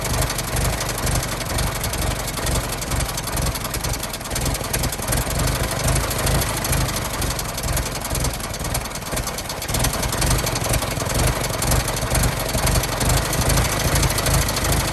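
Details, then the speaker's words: 1916 Federal Motors truck, 107-year-old four-cylinder gasoline engine that was seized and sat 50+ years, bottle-fed fuel, block not yet warm, no coolant (radiator has holes); slow, fairly even idle with loose mechanical clatter, runs well: normal idle. "oh she's a runner she runs pretty good"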